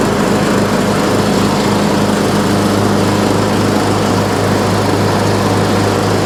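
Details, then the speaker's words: Troy-Bilt Pony riding mower, revived from scrap after electrical and steering repairs, mowing passes testing the deck: steady, even drone with constant low hum, no misses or knocks while cutting; runs excellent under load. "This mower runs excellent. Everything on it is good to go and ready for a new home."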